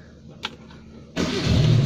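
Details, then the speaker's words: Old used car with oil seepage underneath but no drips, started in neutral: a short crank, then it catches on the first try and settles into a steady even idle; a healthy start from a well-maintained car. "Nah ini dia sekali start langsung cegreng ya, berarti apa? Mobilnya cukup terawat."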